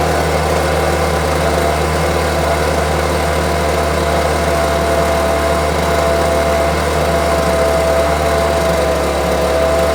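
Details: Homelite UT08572 string trimmer, small two-stroke, tested outside after repairs and a spark check: steady, even buzz with no surging or misfire, running really well. Owner will check whether an earlier "tink" noise is gone. Normal running.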